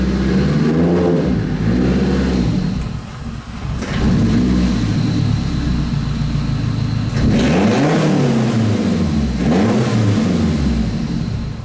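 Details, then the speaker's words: Turbocharged Nissan (GTR/Silvia project) revved sharply several times, then sags and stalls right at the end; owner suspects the blow-off valve leaking boost to atmosphere, not sure. "so you can hear the car died right there at the end as i was rubbing it so that could be because the blow off valve is leaking boosts in the atmosphere"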